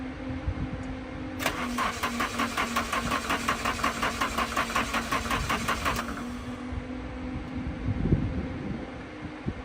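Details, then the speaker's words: Nissan 240SX, first start attempt on the new chassis wiring using a starter button because the key wasn't working. The starter spins the engine steadily for about 4.5 seconds but it never catches; crank no start, no spark, and the owner suspects a weak battery. "So, all the wiring is done, but for some reason, I cannot get this thing to start to save my life."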